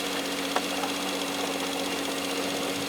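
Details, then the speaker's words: Jeep Grand Cherokee 4.0-litre inline six with over 200,000 miles idles with a light fast ticking, internal to the engine, not rod knock. "as we wrap it up you hear the engine ticking now that ticking noise you hear is internal to the engine now it's not rod knock"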